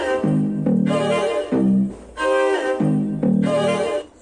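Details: Motorola MT-160DSB Dolby Audio soundbar after repair of a no-sound fault (the subwoofer still played but the soundbar did not): piano and strings play cleanly and evenly with no crackle, hum or dropouts; output working normally.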